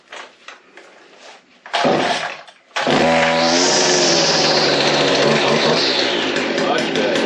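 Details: Stihl FS56C trimmer, previously running rough with no power, after cleaning the exhaust screen: a couple of handling knocks, then it catches and holds a steady, even high buzz with no stumbling; runs healthy.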